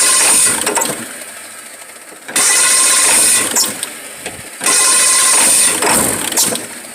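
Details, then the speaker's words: 1996 Ford F-350 7.3L Powerstroke diesel with new cam sensor: idle surges hard every couple of seconds, dies after about two minutes; owner suspects injector O-rings one side, oil from exhaust pipe, no blow-by. "so it surges pretty hard I gotta figure out what that is but I think I know what it is so I think I got injector rings going out one side cuz I got a little oil coming out of the exhaust pipe"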